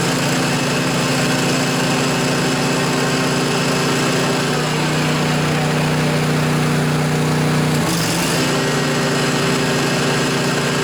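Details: John Deere LA145 riding mower with 48-inch deck, cold morning around 35°F, blades engaged after the deck bearings were replaced. A steady engine drone and even blade whirr with no growl means it is running normally.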